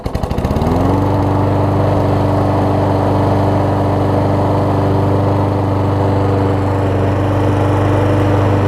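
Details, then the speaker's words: Troy-Bilt self-propelled mower after a new carb bowl gasket and self-propel belt: starts on the first pull and settles into a steady, even single-cylinder drone with no misses or surging, no fuel leaking. "Um Just I mean, it started on the first pull after I put the bowl gasket on. Hasn't been leaking any gas or anything like that."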